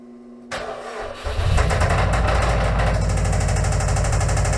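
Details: Subaru Impreza WRX started in the garage on a weak used battery via booster cables with charger on boost: cranks briefly, catches and settles into a loud, uneven throbbing idle with a rough pulse; running badly, cause unclear.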